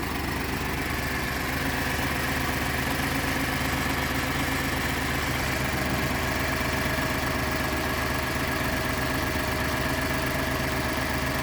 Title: 2012 F-150 EcoBoost cold start rough idle